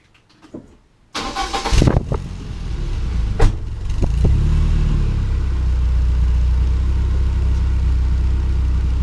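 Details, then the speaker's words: 1995 BMW E36 318i after fitting a new aftermarket rear exhaust section in place of a rusty one: cranks, catches and settles to a low, even, quiet idle with no puffing or ticking; exhaust sealed, no leaks. "And yes, that's definitely a lot better than the old one. So I think we can call this one a success."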